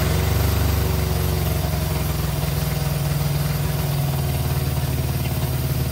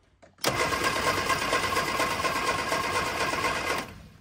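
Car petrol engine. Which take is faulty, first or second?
second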